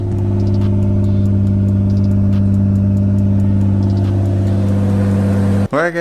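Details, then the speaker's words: R32 with a rebuilt motor, after a teardown to chase a ticking noise: steady, even idle with a smooth low drone on restart. The ticking is totally gone; normal idle. "as you just saw the car is running we have the ticking noise totally gone"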